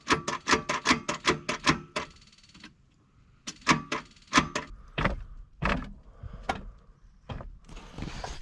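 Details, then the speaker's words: 1978 Ford Courier sitting buried 29 years, cranking in about 25°F cold. Short bursts of starter clatter, engine only rocks back and forth instead of turning over. Owner suspects a stuck clutch rather than a seized engine. "look at that it's rocking back and forth I think the reason that it is rocking is because the clutch is stuck"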